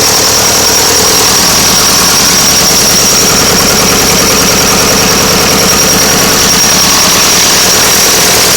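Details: Nuffield 805 tractor diesel at idle after a full engine rebuild, first start after standing 10 years in a field. A steady, even clatter with no knocks or misses: a normal, settled idle.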